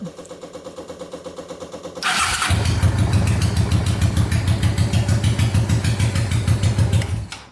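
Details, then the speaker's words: Tractor swapped to a 500cc Honda twin, after fixing a switch that wasn't connecting and had disabled the start button. Starter cranks evenly for two seconds, the engine catches promptly and settles into a steady, loud twin beat; starting works normally. "So the start button now works."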